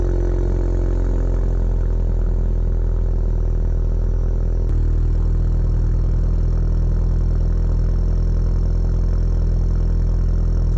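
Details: Ford Focus cold start: low, steady cold idle with an even beat, no knocks, ticks or hunting as the engine settles after starting. Normal cold start idle.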